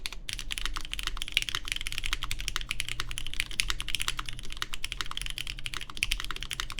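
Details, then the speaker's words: Baron Boards BP One in gasket mount (more evenly placed around the aluminum plate), GMK Terminal keycaps, lubed Cherry MX Black Clear Top switches: soft muted clacks, no spring ping; judged the best-sounding mount so far, after stiffer and more flexible versions. "Pretty good. That sounds nice. Yeah, I do think this is the better sounding one so far."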